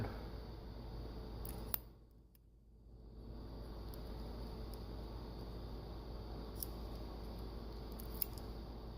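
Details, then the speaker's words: Meyer E57 snow plow pump solenoid valve, powered from a battery charger: a few sharp, irregular clicks over a steady charger hum. The valve is shifting, but the clicking is inconsistent; owner is unsure whether the terminals or the valve cause this and assumes it is okay. "that is the sound of a valve moving so that's good"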